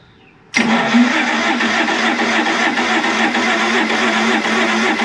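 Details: 1992 Sea Ray 380 twin MerCruiser 7.4L MPI that sat for years, first start attempt after oiling the valvetrain and cylinders: the starter spins the engine at an even whir with no firing; cranks but no start, possibly no spark plugs or fuel.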